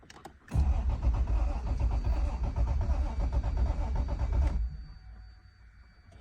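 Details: 1989 Toyota Supra Turbo MK3, fresh 93 octane and Seafoam, fuel pump heard, no spark, about nine volts; starter churns evenly about three and a half beats a second for four seconds without firing: crank no start.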